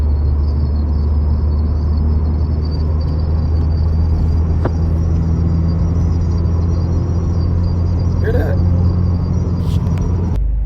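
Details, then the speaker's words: 2022+ Subaru WRX with STI-style rear wing, before whistle-kit install: thin steady high whistle over road rumble above about 45–50 mph, from air flowing over the wing. "what's up y'all to give y'all example the whistling sound listen y'all hear that and it really only happens when I get upwards to like 45 50 plus miles an hour"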